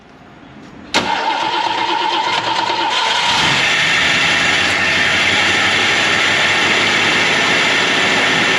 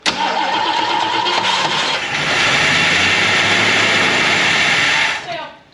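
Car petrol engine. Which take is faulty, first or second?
second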